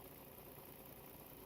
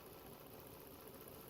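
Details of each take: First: 2011 Volvo XC60 3.2 idling after a used ignition coil replaced a faulty one behind P0302/P0304 misfires (cylinders 2, 4): steady low hum, no stumble or skipped beats, running cleanly on all cylinders. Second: 2011 Volvo XC60 3.2 with codes P0302, P0304 misfire, P2096 lean, P0455 leak, idling while coils are unplugged one by one: idle turns uneven and lumpy as this cylinder drops out, so its coil is working.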